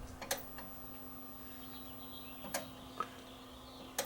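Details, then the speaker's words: Dead Toshiba CRT TV, power button pressed: crisp relay clicks over a faint mains hum, showing the standby power supply works and energizes the relay; power relay click at switch-on. "that click so that's telling me that the standby power supply is working and it's energizing the relay"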